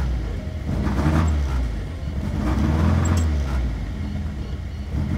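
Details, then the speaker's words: 1975 Toyota Corolla KE35 coupe restarted after dying: low, uneven idle that wanders and stumbles without a steady beat; rough idle, owner suspects air-fuel mixture or timing slipped a tooth, unconfirmed. "yeah it just doesn't like to idle maybe timing actually to be fair it might have slipped a tooth"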